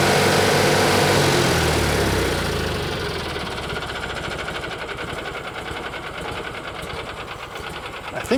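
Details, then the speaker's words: 1986 or 87 Argo Magnum after a fuel system cleanup: catches and settles to a low, steady putter of about four beats a second. The idle is probably set low so the clutch doesn't engage; running normally. "we can safely say that that was running under its own Steam and uh yeah that idle is pretty low but uh I think there's a reason for that I think it's set up that way so that the clutch doesn't engage"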